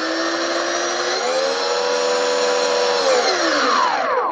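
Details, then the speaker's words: Skywalker RC aircraft cheap brushless outrunner prop motor after balancing by grinding material from its side: clean even hum rising, holding steady, winding down with no wobble; runs smooth, no imbalance on laser check. "just purrs around no sign of off-balance and I can't detect any out of balance problems using the laser either"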